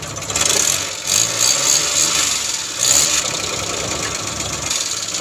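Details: Suzuki Scrum F6A 12V with hard-starting problem, after ignition switch replacement; starts with a quick crank, then steady, even idle with light mechanical chatter and no misses; normal idle.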